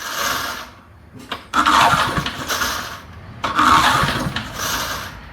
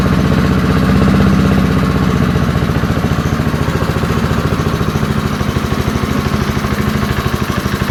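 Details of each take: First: Early-1970s BF Goodrich push mower engine, a seized barn find now freed and spinning over well, is pull-cranked twice with a rough whirr but never fires; a spark tester shows no spark, and the next step is cleaning the ignition points. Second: Early-1970s BF Goodrich push mower, a barn find that sat for years with a seized engine, now freed and running outdoors after carburetor diaphragm work: a steady single-cylinder putter at about three and a half beats per second, even and unbroken. Normal running.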